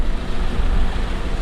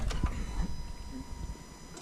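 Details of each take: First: Acura TSX four-cylinder at idle before repair: lumpy idle with uneven low thuds breaking the rhythm, engine shaking, check engine light flashing; cylinder 3 misfire (P0303) from a bad ignition coil. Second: Acura TSX, new ignition coil fitted on cylinder 3 after P0303 misfire: engine catches at once and settles into an even, steady idle with no stumble or shake; smooth idle after the fix.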